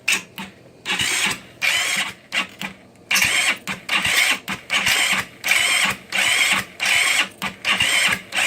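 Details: GY6 scooter after adjusting timing chain (46 link) and valves, brake lever held while pressing starter with throttle and starter fluid: repeated short starter whirring bursts, no catch or firing; cranks but won't start.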